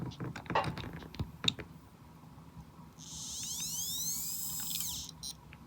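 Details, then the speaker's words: Dead iPod hard drive after unsticking heads from platter: faint high chirps sweep up and down about two seconds as motor tries to turn platter, never reaching steady spin; drive still stuck, failing to spin up. "Yep. Oh, the drive is still trying to spin. It's just stuck."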